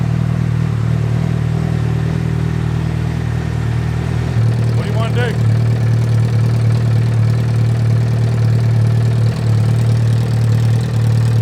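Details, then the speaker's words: Honda CBR1000RR engine swapped into Honda N600 micro car, likely overheated from an air pocket in the cooling system: hot idle with uneven knocking three to four times a second; owner thinks not rods but something loose rubbing the case. "It doesn't sound like rods. It sounds like something's come loose and it's rubbing the case. That's what it sounds like to me."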